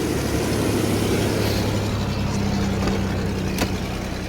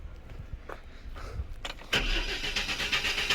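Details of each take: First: Chevy S10 4.3L V6 after reconnecting the mass airflow sensor: steady even idle hum, then two quick blips that rise and settle cleanly; runs smoothly, clogged catalytic converter only briefly wondered about. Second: Chevy S10 4.3L V6 crank no start: starter churns unevenly and won't catch even with starter fluid sprayed into the intake, ruling out fuel and pointing to ignition.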